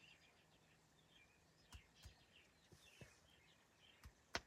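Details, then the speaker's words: 2009 BMW 328i with everything off and locked: sharp, irregular popping keeps coming through the speakers; the radio/CD player also gives a small hum or buzz about every 30 seconds; the rear amp was already replaced. "so I've come across something weird and then this BMW it's a 2009 328 and it plays this constant popping noise"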